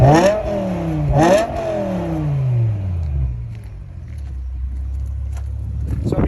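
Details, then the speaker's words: BMW E63 M6 with S85 V10 after replacing connecting rod bearings with ACL bearings and genuine BMW bolts at nearly 100,000 km; two sharp throttle blips rise and fall cleanly, then smooth even idle with no knocking; healthy. "hear the M6 is in good shape and ready for summer!"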